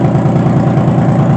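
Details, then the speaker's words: 2005 Honda Pilot first run after timing belt work, with oil poured into the cylinders and no coolant yet: steady, even low idle pulse with no knocks or misses, heavy smoke from the oil; normal idle. "Woo! It's running now. Oh boys, there's the smoke everywhere. Oh my gosh, look at that. Woo! But it runs."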